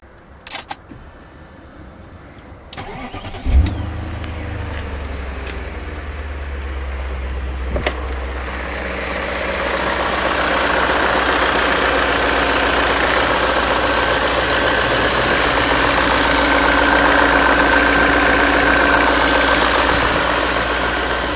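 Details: BMW E39 M5 V8 starting and settling into idle: steady fast knock, about four a second, under the hiss, seemingly from both cylinder banks; cause unknown.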